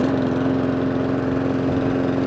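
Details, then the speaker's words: Mountfield SP454 lawn mower after the hunting fix, with the too-low idle raised slightly by screwdriver; slight smoke from slightly overfilled oil. An even, steady drone at constant pitch with no hunting or surging, like a little vintage engine; normal running. "Sounds like a little vintage engine going off."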